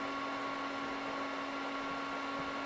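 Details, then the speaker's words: HP 6002A 0–50 V bench power supply after fan repair using parts from a dead unit, powered on and loaded to about 16 V: smooth, even fan hum, no rubbing or rattling; cooling fan runs normally. "let's power it on and see if it's fixed so far so good sounds like a fan instead of death"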